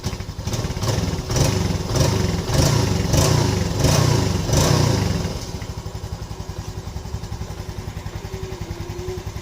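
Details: Yamaha Lagenda 115 FI single-cylinder motorcycle, cold, after adjustment of its hard-starting, stalling, no-idle fault: blips through a few rhythmic surges, then settles into a steady, even idle.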